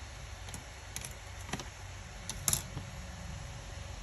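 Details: Acer Predator Helios 300 gaming laptop after the overheating fan fix, with the fan below 6,000 rpm: low, steady fan hum with no whine or rattle, plus a few keyboard clicks.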